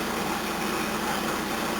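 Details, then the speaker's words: 1981 Toyota Corona RT132R 18R-C after a tappet adjustment only, no tuning: steady, even idle in gear with no misses, ticks or hunting; bonnet no longer shaking, previously stalled; normal idle. "So, let's put it into gear. Look at that, it idles."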